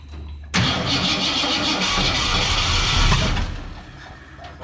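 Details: 1967 Ford Fairlane, first start in 7 years, fuel and spark confirmed: starter kicks in, engine catches roughly about three seconds, then fades out. Won't keep running, and the owner suspects ignition timing is way off.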